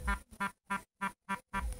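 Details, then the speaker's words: Vibration motor of a fake Lenovo i960 tablet: short, coarse, uneven rasping buzzes about three times a second, an unpleasant harsh buzz; cause not evident. "Ну, эта вибрация меня немного расстраивает. Впечатление от китаянки на заставке хорошее, а от вибрации не очень хорошее. Жужжит противненько."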